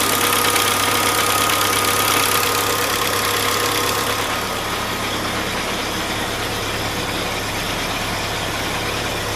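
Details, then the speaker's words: 1947 Willys Jeep, no air cleaner fitted, idle after a minute or two of running: steady light even tick about three per second with a faint hiss; owner suspects a small exhaust leak, not yet checked, and also plans to re-adjust the lifters. "that sound like I got a little bit of an exhaust leak possibly somewhere there I'm going to have to go ahead and check that out"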